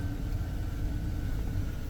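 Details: A 1999 GMC Sierra pickup V8 starts right after a new battery is installed, following an earlier alternator replacement. It settles into a steady low rumble with an even idle and no misses or knocks: a healthy, normal idle.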